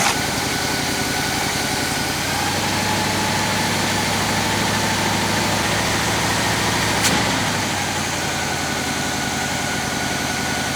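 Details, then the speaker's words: Abandoned 1966 Chevy Biscayne, numbers-matching 396 big-block V8, jump-started; idles with an uneven, loping beat and a repeating stumble from one dead cylinder. "not quite the way it's supposed to sound but with that dead cylinder a little bit dead in one cylinder"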